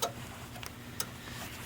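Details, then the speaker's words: Chevrolet Camaro IROC after repairing wiring at the main output post, battery being reconnected: a few sharp dry clicks under a second apart over a faint hum; the alarm clicking as it does on every hookup, normal, and power restored. "I hear clicking, so that's a good sign. That clicking is the alarm going off. It does it every time you hook it up."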